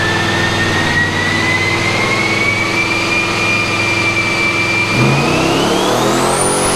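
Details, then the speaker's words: Twin eBay-turbo Pontiac LeMans with BTR stage 2 cam on a dyno pull, boost turned up toward 16 psi: pulls hard with a rising tone, then breaks up near the top; misfire under boost, suspected blowing out the spark. "So we're having an issue right now with, we're pretty sure we're blowing the spark out."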